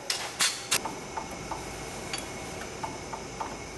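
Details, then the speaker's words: 2003 Ford Crown Victoria on lift, top 15 mm nut of sway bar link removed: sharp uneven metallic clunks, about three a second, as link is rocked; play in worn sway bar link. "if you can hear that clunk noise that's the actual play in the sway bar link itself"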